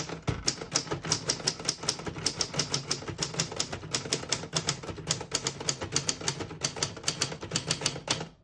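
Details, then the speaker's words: 1964 Adler J4 vintage portable typewriter switched to the red half of its black-and-red ribbon. Crisp, even keystrikes at about five per second with bright metallic snaps; the mechanism types cleanly. "And since we do have a black and red ribbon, I'm going to print red now."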